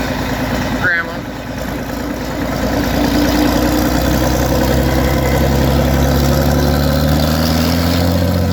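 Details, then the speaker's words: Farmall 560 tractor being reassembled, idling through a 5-inch straight pipe: deep, loud, steady exhaust bark at an even idle with no knocks or misses, sounding like a pulling tractor; the engine runs healthy. "Saying sounds like a pulling tractor. I forgot the straight pipe on there. 5-inch straight pipe."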